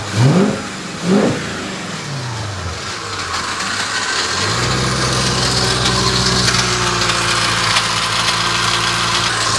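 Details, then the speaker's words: 1998 Porsche 986 Boxster with V8 swap warming up at 76–82°C, thermostat not yet opening: fast idle with a light metallic rattle that quietens when revved. Source unknown. "that noise is really annoying but I said when I rev it up a bit it goes away"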